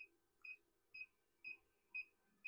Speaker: Oh, there you go. You can hear it beeping. 6.2 kW. 6 kW on the inverter.